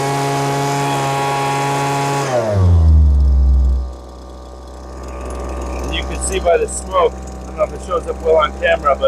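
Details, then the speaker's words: Lesco handheld two-stroke leaf blower that bogged and wouldn't rev, starving for fuel at high speed: after carburetor mixture adjustment it drops from a high scream to a softer, wavering burble, now deliberately set slightly rich, two-stroking. "It was absolutely starving for fuel at high speed. I'm going to go a little too much. And you'll hear the two-stroking start."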